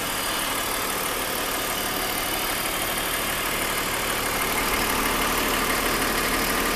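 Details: 2001 BMW 530i M Sport (E39) at idle: steady idle with fairly regular tapping about three a second through a harsh, busy top end; recently developed abnormal engine noise, cause still being investigated.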